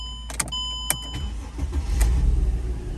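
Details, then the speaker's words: Mercedes-Benz E350 W211 (2006/2007), California PZEV sealed tank, after fuel pump replacement: a few clicks then engine catches within about a second and settles into even, steady low rumble; starts properly. "fires right up again this is a 2007 e350s a w211"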